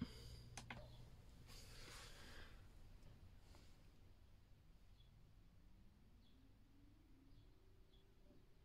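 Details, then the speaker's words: Alde 3020 heating system with inline circulation pump in 2015 Bailey Unicorn Barcelona caravan, start-up: pump barely audible, then fan spooling up with rising hum, then igniter clicks; normal heater start-up, unlike the loud failing pump. "so the first sound was the pump the second sound was the fan and then you could hear the cluck of the igniter"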